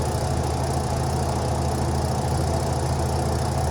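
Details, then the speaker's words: Across twin-tub washer spin dryer after replacing the suspension spring and cleaning grime from the drum: smooth, even low hum with no knocks, rubbing or rattles. Normal spin, noise fixed. "emite ningún sonido quiere decir que con el cambio del resilente pues ya eh recobró vida la la secadora"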